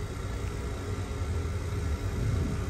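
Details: 1988 BMW 325i A/C evacuation, vacuum pump pulling the system down into the micron range (around 12 to 9 on the micron gauge): a steady, even low drone with no knocking, surging or gurgling; normal pump operation.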